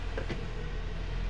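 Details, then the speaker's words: 2005 Nissan X-Trail T30 XT automatic, engine running: shifting into D gives steady low hum, faint soft tap, no jolt or clunk. Complaint is a harsh clunk only into R; cause not yet confirmed as the transmission. "Ini kita masuk ke posisi D. Nah, masuk D tidak ada hentakan, tidak ada suara dak seperti itu."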